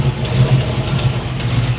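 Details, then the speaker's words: 1987 Chevy Monte Carlo SS V8 at idle after new transmission install: faint sharp ticks in loose rhythm over steady rumble; owner suspects header leak from one exhaust manifold/header bolt he couldn't install and must shorten. "I think I hear it too no there's one bolt back there that hi just I'm going to have to shorten the bolt"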